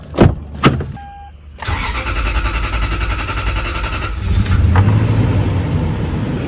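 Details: First-gen Toyota Sequoia after replacing the fuel pump, sending unit, filter and strainer for a P0174 lean bank 2 code. Starter whirr, then the engine catches and settles into a steady, even idle with no misses or knocks.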